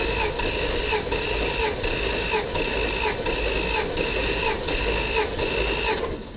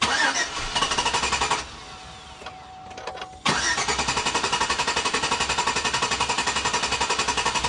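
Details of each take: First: Auction Chevrolet Tahoe V8 cranking during a compression test with all spark plugs out and the gauge screwed in, so the starter spins freely with no load: fast, even whirr with a steady pulse and no catches. Normal cranking; readings were about 175–195. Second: Rough start on an auction Chevrolet Tahoe after new plugs, MSD wires, compression test and MAF cleaning: engine runs briefly, drops to a quiet stumble, then catches and settles to steady idle; excess MAF cleaner and spilled coolant burning off.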